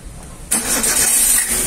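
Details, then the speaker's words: Chevrolet Beat with company-fitted LPG system, about 1.76 lakh km, after replacing the gasket, filter and diaphragms to cure slow starting at stops: the engine catches instantly on the first turn and settles into a steady idle, and the starting trouble is gone. "quick starting was not happening earlier up stats see now the starting trouble is not there"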